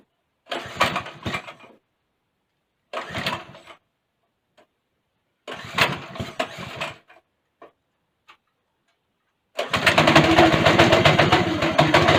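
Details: Go-kart engine after a governor bypass: a few short cranking bursts, then it catches and runs steadily and strongly, revving cleanly with no misses. The seized clutch is heard grinding afterward.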